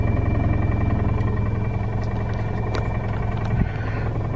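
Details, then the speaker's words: Car at a dealer auction, idling in reverse with the e-brake on: dull, fairly regular knock about three a second that sounds like engine knock but is likely driveline, not the motor. "i got the car in reverse right now with the e-brake on so i can show you but if you don't know you think the motor is knocking"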